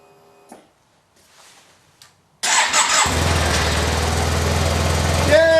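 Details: After fuel pump replacement, a faint pump whir primes first, then the engine cranks, catches quickly and settles into a steady, even idle; a healthy start.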